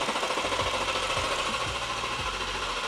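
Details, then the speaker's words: BMW G87 M2 after xDrive conversion, engine and transmission refitted, coils disconnected for oil priming: steady starter whir with even compression thumps about two a second, cranking without firing as intended. "battery connected you should now be able to crank it but it won't start"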